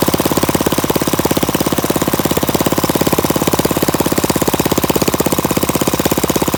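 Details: Flathead Briggs single-cylinder minibike engine, open exhaust, after mixture screw adjusted about a half turn out: sharp even popping at steady fast idle, no misses or hunting; normal running.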